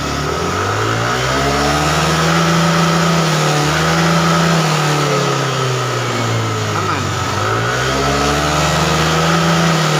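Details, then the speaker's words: Yamaha Aerox injection scooter that blew its 7.5 A headlight fuse and lost all electrics when revved past mid-throttle, from a pinched wire; here revs rise and fall smoothly to full throttle without cutting out, running normally. "ya Nah Tadi awalnya ke sini itu tiga separuh saja skringnya langsung mati ini enggak enak ini gas mentok enak ya"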